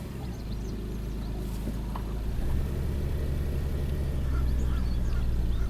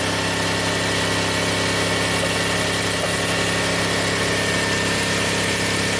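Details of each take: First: 2000 Toyota Sienna, 1MZ V6, 540,446 miles on original drivetrain, P0305: uneven stumbling idle with constant cylinder 5 misfire, counter climbing; injectors suspected, fuel/ignition feed being checked. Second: 2000 Toyota Sienna, 1MZ engine, 540,446 miles on the original drivetrain, brought in running rough with P0305 and a blinking check engine light: smooth even idle with faint belt whine and no misfire counts. Normal idle.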